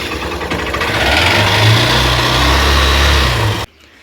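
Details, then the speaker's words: Honda CB Shine 125 single-cylinder just after full engine rebuild, idling on stand during break-in: quick even patter holds steady with no knocks or rattles, then cuts off cleanly; owner expects noise to settle further; normal idle. "আরও আরও আরও এর আওয়াজ বসবে, একদম down হয়ে যাবে, ঠিক আছে, মিনিমাম সাউন্ডটা থাকবে, ঠিক আছে।"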